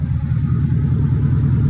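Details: 2002 BMW 745i V8, flood-damaged electrics, after power control module swap: loud, throaty low drone with uneven pulsing burble at idle; far too loud because the catalytic converters were removed and sold.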